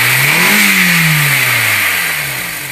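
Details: Cold engine noise: idles then revs up and settles, rising and falling tone with a hissy rattle on top; cause unclear.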